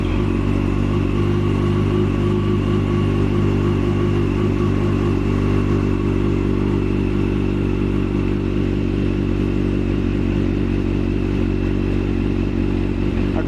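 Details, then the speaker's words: Yamaha FZ8 with no-start-from-button complaint, running on a reinstalled weaker battery after fuse diagnosis: cranks a bit longer but starts; steady even engine note, no misses, knocks or rattles, battery charging. Normal running. "so once again I show the battery of course it turns a little longer because it is a little weaker here it is, but it still starts and everything works"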